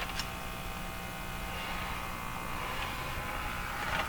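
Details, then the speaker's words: Hallicrafters TW2000 communications receiver during IF alignment with scope connected to the speaker: constant low buzzy mains-type hum with no pitch change; a ground loop caused by the scope connection. "Radio's on making terrible sound because of this connection."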